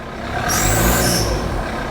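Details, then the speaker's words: Diesel after oil-filled intercooler problem, warming up and still smoking heavily: sharp high hissing squeak rising with revs and fading as they drop, called a boost leak. "When you rev it, it smokes more, and we have got a boost leak, you can hear it squeak."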